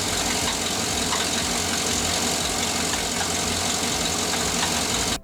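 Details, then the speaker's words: 2007–2014 Cadillac Escalade V8 at idle, noticed while topping off radiator fluid: a rapid, light knocking under a loud hissy background from the front accessories. At first the water pump was suspected, but a stethoscope traced the knock to inside the alternator, pointing to worn bearings. "When I was topping off my radiator fluid, I noticed I was getting a knocking noise. Do you notice the knock?"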